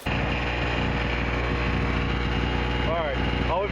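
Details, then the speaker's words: Chicago Electric (Harbor Freight) 800 generator with only a 60 W bulb load drawing 61 W, 115–116 V, 60 Hz: small engine holding a steady, even hum at constant speed with no hunting or misses; healthy under light load. "we've got running is a 60 watt light bulb here, and it's making 61 watts just like it should. Voltage showing 115, 116. Frequency is 60 hertz like it should be."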